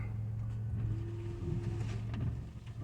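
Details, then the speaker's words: Windshield wipers after wax was applied to the glass to fix blade noise: they sweep with only a soft low hum, no chatter or squeal; the blades now run quietly and work better. "more noise. And they're working better, see?"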